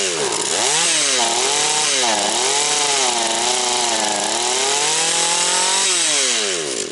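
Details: Husqvarna 240 chainsaw, freshly reassembled, idle said to need raising: a strong high engine scream dips and recovers as the chain bites wood cleanly; normal cutting, with some smoke afterward.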